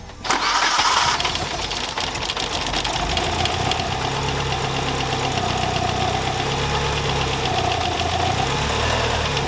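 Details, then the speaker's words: Mitsubishi Evo 8 just started after fitting new 3 mm lifters: fast idle with a steady tapping knock at engine speed that goes away and comes back; bottom-end knock, confirmed as bottom-end failure. "i'm glad i didn't have a go at this and it start knocking he goes away and then comes back"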